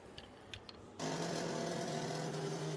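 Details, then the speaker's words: Motorbike with a low battery: steady low buzz under two seconds with no cranking rhythm, the starter failing to crank the engine over. "hear that? That's the starter failing to crank over because the battery is too low."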